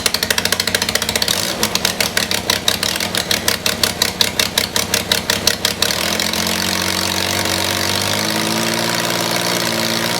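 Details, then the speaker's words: Yamaha XS850 triple in a brat build, start after fuel was restored to all three cylinders, which cured the misfire; cranking clicks about four per second, then it catches and settles into a steady, even idle with no miss. An oil leak on the right side was noted. "turns out you need fuel to all three cylinders uh to help the bike run as though it's not misfiring who would have thought it"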